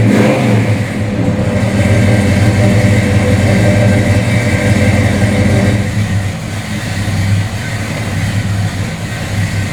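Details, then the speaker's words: 1970 Ford Torino 429 Cobra, restored, with matching-numbers N-code 429 V8, headers, ceramic-coated Flowmaster dual exhaust and C6 automatic, cold start. Catches and settles into a deep lumpy burble, then clean throttle blips; strong, healthy big-block. "You know, the headers with the Flowmaster exhaust, it just sounds spectacular."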